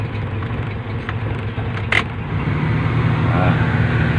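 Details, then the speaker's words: 1993 Suzuki Esteem sedan, engine started at idle: it catches and holds a low, smooth, even idle with no knocks or misses; normal idle. "Mari kita hidupkan untuk mesinnya ya Nah daftar nah ini suaranya halus dan akhirnya juga menyala"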